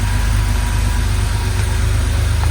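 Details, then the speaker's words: 1982 Porsche 911SC Slantnose air-cooled flat-six, sat 20+ years, after a CIS fuel distributor clean, new plugs and fuel filter: a deep, even idle burble, no misses or knocks, running smoothly while blowing heavy smoke, likely burning oil. "Oh my goodness, it sounds so good. Wow, that's a smoke show. So yeah, this thing is running money."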